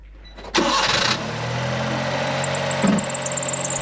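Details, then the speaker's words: Honda Beat on a cold start: the engine catches, then a thin high squeal rides over the idle. A loose alternator belt squeals at startup and under hard acceleration on cold days, and was fixed by tightening the belt. "One of the things I was told by the owner of my previous Beat was that the belt was making noise when the engine was started. In fact, as I said , there was a noise like this when I started it."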